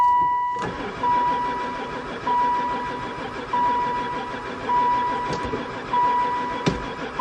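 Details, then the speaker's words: Van sitting unused about 4 years, poor runner before, fresh gas added: starter grinds in repeated roughly one-second bursts, engine never catches; cranks but will not start, owner suspects no spark. "Never fired once. it's not on anymore. Still no go."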